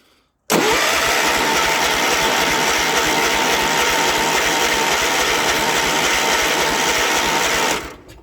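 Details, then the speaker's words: Cold start attempt without starting fluid, late afternoon near four o'clock: starter spins steadily about seven seconds but engine never catches, then cuts off; owner suspects lost fuel prime or a problem with the Amazon fuel pump (eBay carburetor). Crank, no start. "nah it's not gonna go okay this one is a fail like i thought it was going to be"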